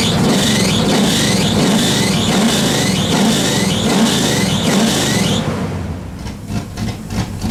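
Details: Pontiac Bonneville with Pontiac 455 V8 and Holley carburettor, first run after sitting, idle turned up: smooth repeated revs settling back, no misfire or knock; 40 psi oil pressure, reaches 180° with fan working, diaphragm leaks, alternator belt gave out; starts and sounds great.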